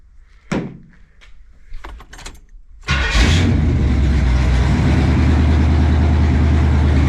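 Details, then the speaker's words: 1975 Pontiac Firebird Formula with rebuilt Pontiac 400 V8 and new starter, run in a closed garage; a few thuds, quick crank and catch into a steady, even, deep idle, healthy start. "I'm in a closed off garage, but she runs good, starts good. It's a good little motor."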